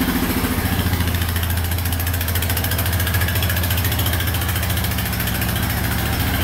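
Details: 1999 Honda Foreman 450 4x4 ATV, restarted on reserve fuel after a restoration: an even, low single-cylinder thump at a steady idle of about three and a half beats per second, no stumbling. Healthy idle.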